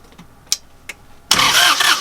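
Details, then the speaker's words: Northern Lights 12kW diesel genset on a boat after a new cylinder head and valve adjustment, bleeding injectors one at a time: a brief crank under a second that never fires. Very little fuel at the injector, air still in the lines. "very little fuel i don't want to crank it excessively so i'm going to call that one good enough for now i may find it hard to start but we'll at least give that a try"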